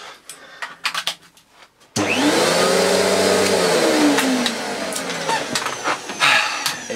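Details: Miele S2111 vacuum, previously dead from a broken solder joint, tested after fitting a fuse: quiet handling, then motor spins up to a steady, even whine with no rattle or grinding; healthy running.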